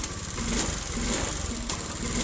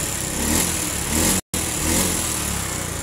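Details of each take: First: Honda Beat fuel-injected scooter with hard starting: the engine runs weak and uneven, catching and faltering; a poor ECU fuel pump ground (brown/black wire) is the cause. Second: Honda Beat fuel-injected scooter with hard starting, weak ECU ground on the fuel pump circuit: with the brown/black-striped wire jumpered to battery negative, the engine picks up cleanly on each throttle blip and revs normally.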